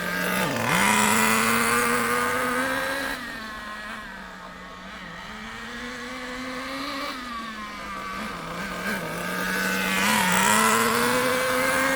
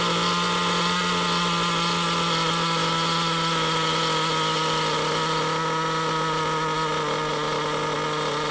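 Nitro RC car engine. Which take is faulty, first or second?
first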